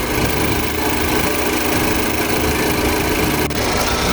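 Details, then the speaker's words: 2013 Ford Focus with an overheating problem, after replacing the fan control module with a cheap aftermarket part that was later returned: at idle with the AC on, a steady radiator fan rush with no rattles or surging. Normal cooling fan operation. "See it, but if you can hear, that fan is running. The AC on."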